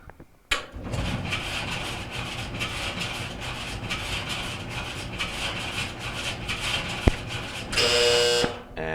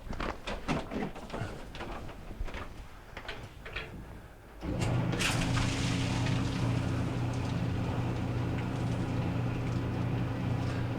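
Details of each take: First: Maytag LDE4914ACL dryer starting up: harsh steady scraping grind pulsing as the drum turns, drum rubbing likely on the front housing; repaired at the support wheel. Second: Maytag LDE4914ACL dryer after replacing the drum support wheel for a grinding and scraping complaint: after handling knocks it starts and settles into an even low rumble and steady hum, no scraping, running normally.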